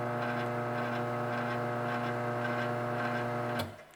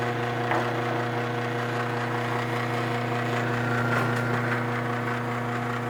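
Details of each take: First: Garage door opener motor, set on a towel: steady, even hum at constant pitch, runs quietly and stops cleanly; normal quiet motor run. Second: Garage door opener motor run on a bench: steady low buzzing hum with a rattly edge until it stops; the bench surface rings from motor vibration, and it is quiet when set on a towel.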